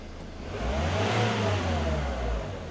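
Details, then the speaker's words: 2003 Nissan X-Trail T30 2.2 dCi with fault code P0120 and a will-not-rev accelerator fault, tested with a wiring bypass during a body-control voltage fault hunt. The engine note climbs smoothly and settles back with clean throttle response: revving normally again. "usually here the idle change I'll rev it started working again"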